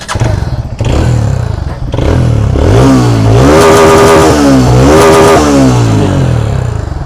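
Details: TVS Radeon BS6 motorcycle at about 17,140 km, before piston ring replacement: revs up and down twice with a metallic clatter over the exhaust at each rise. Piston slap; no white smoke.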